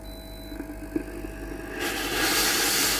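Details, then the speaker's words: Philips GC7703 steam iron after water pump replacement (previously heated but gave no steam), self-clean cycle at max heat: faint pump hum and small clicks, then loud steady steam hiss; pump working normally. "Vous entendrez le bruit de la pompe à eau qui fonctionne. Vérifiez que de la vapeur et de l'eau ne sortent pas par l'avant (la machine sort normalement)."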